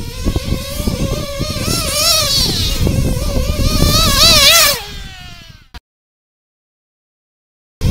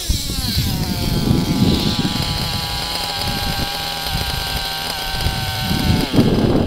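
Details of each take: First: Nitro RC engine during high-speed needle leaning, tuned by ear: it screams up to a high, crisp wail on the pipe with no gurgle or stutter, cuts back, then screams cleanly again, showing a properly leaned top end. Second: Nitro RC engine with an overly rich low-speed needle: high buzzing idle, and after each throttle blip the rpm sags and it burbles as it loads up, a two-stage idle.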